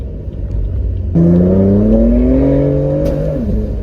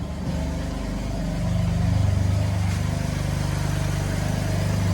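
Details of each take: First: BMW M4 at 30,000 miles on a test drive after new spark plugs were fitted and the check engine light cleared. The engine note climbs through a hard pull, then a single sharp pop breaks in and the pitch stumbles; cause unknown. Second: BMW M4 at about 30,000 miles after reinstalling old spark plugs when new plugs gapped 0.020 ran poorly: deep steady idle, even firing, no stumbles; running normally.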